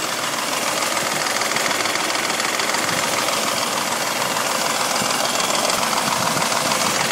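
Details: 1985 Mercedes W126 500 SEC, M117.963 V8, running on petrol (same with LPG), passenger side: fast light metallic ticking rattle about twice a second over idle; hydraulic lifters suspected, replacing two on cylinder 1 helped little.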